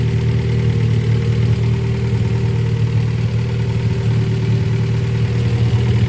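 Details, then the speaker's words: Honda Prelude, first start after sitting, harness thrown on as-is, no exhaust finished, no throttle pedal hooked up: loud, raw exhaust note but steady, even idle with no stumble or knock, holding steady at 40 psi; normal idle. "so she's running."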